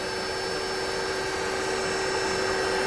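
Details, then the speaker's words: Mercedes E350 after replacing a defective alternator (battery light stayed on): just after start, an even, steady electric whir over the engine is the secondary air pump running normally; charging voltage rising to about 14 V. "you can hear the secondary air pump running so this is good guys we're good to go this is fixed"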